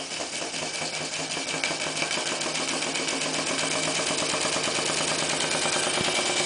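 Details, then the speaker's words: Clarkson inverted model steam engine run on steam from a PMR boiler, blower raised for more speed: even chuffing about three beats a second, chimney exhaust beat picking up as it runs up to speed freely. "you can hear the uh jumping now from the chimney snap of the engine the Wizards round to speed"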